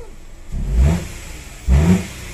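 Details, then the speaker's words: Hyundai Grand i10 2015 automatic with check engine light, engine revs on throttle blips: revs climb sluggishly, sag and drop back, a drowning, choked response, not responsive, no misfire; hesitation on throttle, shakes at idle, worse with aircon on. "sa ibabaw Okay si sa baba yan diyan yan oh may may parang lunod hindi siya responsive"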